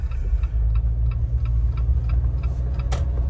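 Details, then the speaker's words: Built Jeep on 40-inch tires driving after trail damage, right rear axle shaft known bent: light regular chirp about three times a second over road rumble from the rear end; bent axle shaft squeak. "do y'all hear that awesome squeaking from the rear end"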